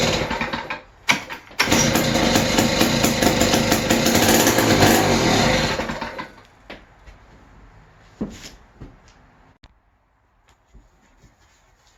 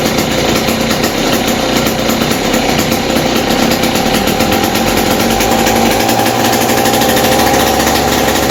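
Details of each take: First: West Bend 580 two-stroke engine, sat for months, new starter cup, dogs and recoil spring: pulls off the starter, buzzes a few seconds then fades and dies instead of idling; owner suspects dirty reed valves. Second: West Bend 580 two-stroke engine after cleaning carburetor and reed valves, new gaskets, no choke, mix screw 2 turns out: fast, steady, even idle with no hunting or misses; repair successful.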